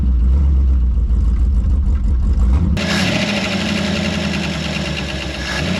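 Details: Early-1960s Ford F100 unibody V8, abandoned 25+ years, just restarted with glasspack mufflers burning dirt and debris out of the exhaust. Even, steady idle with no misses; lifters a little noisy, oil pressure over 60 psi, motor sounds good.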